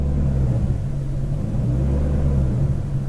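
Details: BMW E39 540i 4.4 V8 surging at low rpm with foot barely on the throttle: the deep rumble rises and dips unevenly below about 2.35% throttle position but holds steady above it. Owner suspects a throttle pedal wire, vacuum leak or timing.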